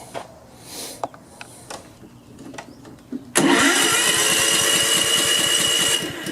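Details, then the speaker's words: Honda HRX217 lawn mower being checked for an oil leak under the engine: steady cranking pulses, two to three a second, for several seconds without firing because the fuel valve was shut off; float bowl needs to fill. "why won't it start oh the gas fuel on was cut off let the float bowl fill it"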